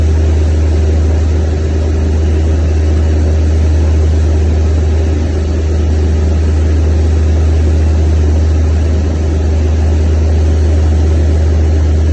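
Steady, deep, even hum with a smooth firing beat and no misses or surging; the gas engine is running normally again.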